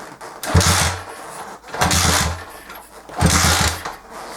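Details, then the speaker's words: Honda CG125 cafe racer unstarted for three or four years, stale petrol, carb needing cleaning: repeated cranking bursts with some chuffing but never catching; crank no-start, cause not yet confirmed, spark check next. "like it wants to start i don't know whether whether it's best put petrol in or something let's try again so nothing"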